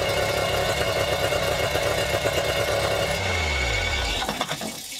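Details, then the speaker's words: Yamaha outboard on a flush muff that only dribbles water unless squeezed or clamped: busy, rattly idle with fast ticking, then revs fall away and it stops; poor cooling water supply, muff rejected. "it's just been consistent every time i've tried to use this i've had to stick a clamp on it just to get it to to dribble a little bit so no not a go"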